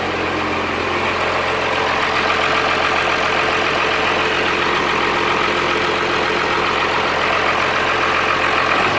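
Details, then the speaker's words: Cummins-swapped squarebody Chevy diesel truck started after installing dual plastic fuel tanks with one filler neck: steady, even diesel idle clatter, no stumbling or surging, doesn't seem lacking in fuel; normal idle. "it doesn't seem like it's lacking in fuel"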